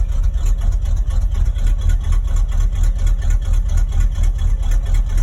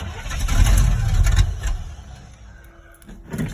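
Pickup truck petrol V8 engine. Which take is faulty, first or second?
second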